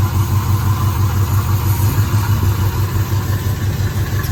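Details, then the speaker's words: 1973 Firebird V8, previously seized and water-filled, after running a couple of minutes: steady, even low idle rumble with no misses, apparently all eight cylinders firing; normal idle. "You can hear the car starting to run a bit there now. The car's been running a couple of minutes. I reckon that's 8 cylinders now."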